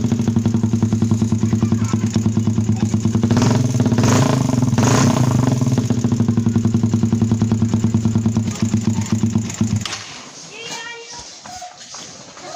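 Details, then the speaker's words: Suzuki Satria FU 150 single-cylinder engine just reassembled after a top-end rebuild (piston, rings, valves, cam timing), first start with a racing exhaust: a fast, loud, uneven bark that is expected to be noisy and not smooth since only core parts were replaced, then it shuts off. "Nah, untuk motor ini suaranya pasti bising sekali ya teman-teman, karena memang knalpotnya seperti ini menggunakan racing."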